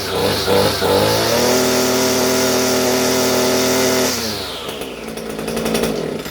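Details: Echo SRM-230 trimmer two-stroke after carburetor replacement: holds a steady high buzz, then winds down smoothly when throttle is released, no stumbling or surging; running normally.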